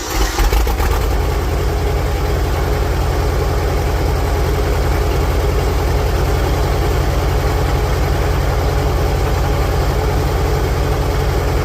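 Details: 1946 International Harvester Farmall H, after a pushrod replacement and deep cleaning, in neutral with a low battery: catches after a brief crank and settles into a steady, even idle at about 210 pulses a minute with no misses; normal idle.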